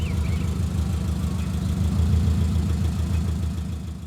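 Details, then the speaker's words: 1990s Subaru GM6 Impreza with a single-overhead-cam boxer and aftermarket exhaust, after a stage-one restoration: a deep, throaty idle burble with an even low pulse, steady apart from slight unevenness; the exhaust pops and crackles. Normal idle with aftermarket exhaust. "The exhaust is very rewarding. It pops and cackles and sounds pretty good."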